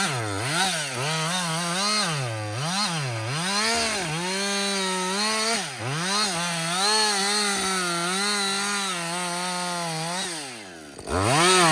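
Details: Husqvarna 562XP 60cc chainsaw, back from the shop after a software reflash for dying when hot, not starting and stumbling, bucking dead windfall about two-thirds into a tank: loud two-stroke scream, dipping into the cut and recovering cleanly each time; strong under load.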